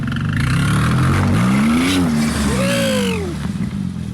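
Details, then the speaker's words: Wrecked Porsche 911 Turbo being rebuilt, right after a launch-control launch: squeaky chirp rising and falling with light throttle revs over engine note; owners think it's minor, possibly turbo or something rubbing, unconfirmed. "something starts chirping yeah i think that's just honestly i think it's not a big deal it's like gassing without hitting the brakes just lightly"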